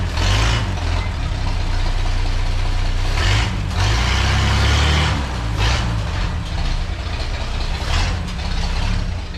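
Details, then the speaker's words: Old splash-lubricated inline six idling smoothly after exhaust leak repair and separating crossed plug wires; deep, steady low rumble with even beat, no puffing or ticking at the manifold. Normal idle. "oh man she sounds so good i can't wait to take it down the road get it under a load"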